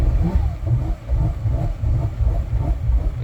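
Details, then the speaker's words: Boston Whaler 330 twin Mercury outboards, port engine at startup with throttle body code: low rumble surging up and down about three swells a second, never settling; throttle body stuck, later found a stuck intake breather gasket. "definitely sounds like the throttle body stuck when it"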